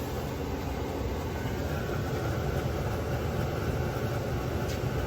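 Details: Webasto Airtop 2000 diesel air heater fitted to a Citroen Ami, switched to hot air: even rushing roar over a soft low rumble, no surging, rattling or misfire; heater running normally.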